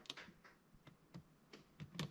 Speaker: you're gonna hear the cracking going on all over the place and it's not that spider farting yeah every time I put that compressor to the max it feels like this entire Workshop is just going to collapse all that cracking sound but it's the airline it's it's moving or shrinking or doing something